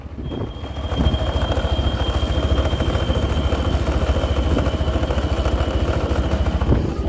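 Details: TVS Apache 160 4V motorcycle at idle: loose uneven rattle about three times a second over the low thump, worse with the clutch pulled; slack chain chatter suspected.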